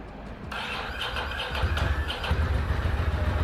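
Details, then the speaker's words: Ducati Monster 800 V-twin dormant 4 years, first start after new fuel pump and battery: catches after cranking, then lumpy uneven chug at low revs, running on one cylinder (front suspected) until revved, when second cylinder kicks in; cause not confirmed. "It lives. But it sounds like it's chugging on one cylinder."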